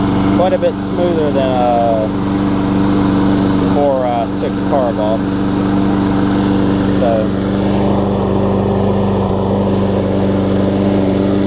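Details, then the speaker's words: Lawn-Boy mower with 20-inch deck and Briggs 675 engine, which sometimes wouldn't start warm, after carburetor cleaning on the test bed: steady, even drone with no surging or misses; running much better, normal running. "yeah I can already hear it's running much better quite"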